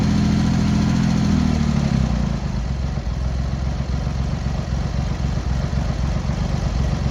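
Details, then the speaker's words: Cold Triumph Hurricane X75 triple, rebuilt carbs just refitted, on throttle stop with choke on, pilot screws thought about 7/8 out: steady hum turning to lumpy, uneven tickover; carbs likely need tuning and richening, suspected not confirmed; uneven idle. "We're not on the throttle stop. We're on the throttle stop there, but we've still got the choke on. Probably do need to give it a bit of tune."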